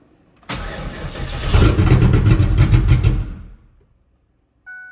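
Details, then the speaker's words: Mazda B4000 with swapped LT1 5.7 350, no exhaust or driveshaft, no oil pressure gauge; cranks briefly, catches, revs with deep even burble, then shuts off cleanly. "It starts. Awesome. That was exciting."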